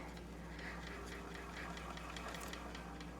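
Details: Vintage household sewing machine ("Firefly") reassembled after painting and freshly oiled; it is a reverse-turning type that turns away from the user: quiet, even light ticking as the mechanism turns freely with no catches or grinding. Normal running.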